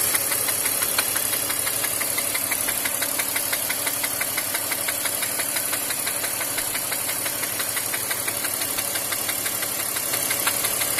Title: бмв х5 е53 м54 стук шатуна